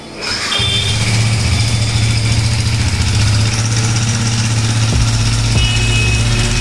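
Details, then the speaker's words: Yamaha MT-15 with an engine oil circulation problem: the single-cylinder starts and settles into a rough, low drone with irregular mechanical clatter. Engine noise from oil starvation of the cylinder head. "यह bike आवाज बहुत खराब है।"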